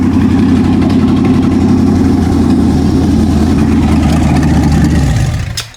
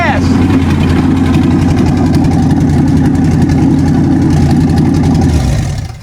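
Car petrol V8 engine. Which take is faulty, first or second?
first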